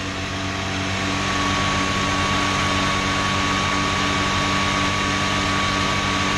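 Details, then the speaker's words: Chrysler after alternator repair, cold and warming up: a fast, even high idle with a faint steady whine on top, likened to a supercharger. The voltmeter shows it charging, so it sounds like a normal cold high idle. "you can see the voltmeter there it's uh definitely charging she's running good that high idle right now it's warming"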